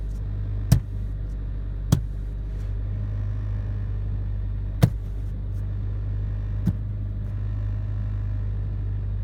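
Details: Brand new 2016 Honda Civic VTi-L sedan, cabin recording on rough road: sharp, irregular clicks and knocks from the dash area over steady low road rumble; rattle persisted after dealer servicing.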